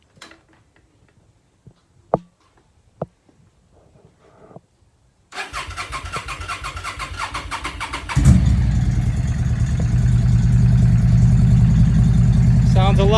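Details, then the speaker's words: Yamaha V Star 650 that had sat for a while, after carburetor work: twin fires, settles and revs up cleanly with no coughing; before, rolling on the throttle made it cough and want to die. "better yeah before if you rolled on the throttle like that it would kind of cough and want to die"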